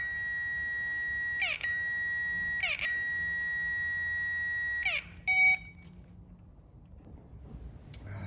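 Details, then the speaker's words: Classic Mini electric fuel pump, thought seized after long storage, out of the tank and powered directly. Steady high whine for a few seconds with brief dropouts, then cuts off: it runs freely. The owner suspects knocking during tank removal freed it. "what i suspect is now that's making noise i think the knocking and banging of taking the tank out has dislodged it"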